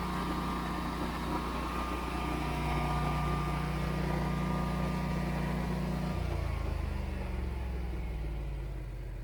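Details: Generac standby generator started by switching the utility service disconnect off, with transfer switch and cool-down stages: smooth, steady hum with no knocks or roughness, tone stepping down near six seconds as the load changes; normal running.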